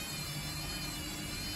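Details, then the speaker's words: Baumatic BDI1485D4E integrated washer dryer, street find, with only rags inside, after pump-out about 26 minutes into cycle; low steady whir with faint hum as drum starts spinning, spin start normal. "I caught it it sounds like it's going to try spinning"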